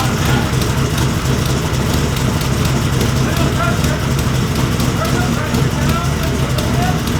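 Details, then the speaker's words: Rebuilt wrecked Cobra at first start with a Holley 12-inch display, oil pressure about 55. Steady, even idle with a firm low rumble and no knocks, misses or hunting. Temperatures, oil pressure and fuel pressure read fine: normal idle. "car runs things look good we got temperature we got oil pressure we got oil temperature we got water temperature fuel pressure so motor runs sounds good"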